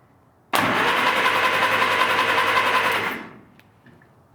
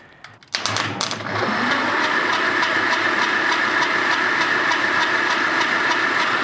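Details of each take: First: 1947 Willys CJ-2A engine, unused 30 years, cylinders soaked with Mystery Oil, turned over on a proper battery before plugs fitted: steady, even starter whir with regular compression pulses for about 2.5 seconds; turns freely, normal. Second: 1947 Willys CJ-2A engine, unused 30 years, cranking for compression test after soaking cylinders in Mystery Oil, off a 12 V battery via 8-gauge jumper cables: slow, labored cranking about three beats a second, no firing; starter short of current.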